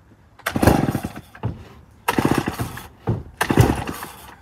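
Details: Circa-1965 Remington Super 754 chainsaw, first start attempt after long storage: three pulls each give a short spluttering burst that never catches; owner thinks it is probably just flooded.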